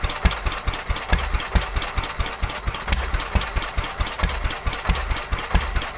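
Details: Petter A11 (A1 series 2) vintage single-cylinder stationary engine, owned 12-13 years, stored damp in a container for four years, first run after revival: slow uneven firing about two beats a second, strong and weak pops, irregular gaps, hunting; owner suspects fuel starvation from dirt in the carburetor.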